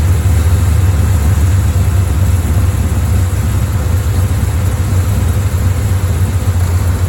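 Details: Bel Air V8 rough idle during timing work, aiming for about 1000 rpm idle and 12–15° advance; low, loping, uneven beat sagging toward stall, won't stay running long enough to adjust; later set 12° at 900 rpm.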